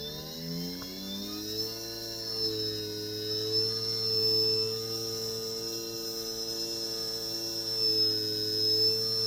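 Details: JUGS BP3 3-wheel controller board driving a non-original test motor, after repair of a faulty motor output channel. The motor needs a nudge, then spins up to a steady, even whine with no surging: normal motor run.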